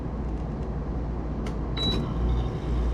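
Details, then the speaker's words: PTAC air conditioner after fitting a new capacitor to the outdoor condenser fan motor, amp meter on the fan wire: fan starts with a steady low whirring rumble, no rattle; temperatures dropping and compressor amps come way down; normal condenser fan operation. "new cap i got the amp meter on the outdoor fan motor wire and let's see oh it started all right all right so that's the fan blade"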